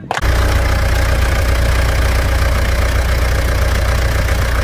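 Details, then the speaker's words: Mitsubishi Pajero Dakar 3.2 diesel after valve adjustment and a new timing chain tensor: a steady, even low diesel rumble with no knocks, ticks or chain rattle. Normal idle. "após a regulagem de válvulas e o tensor da corrente novo o motor tá numa MZ de funcionamento"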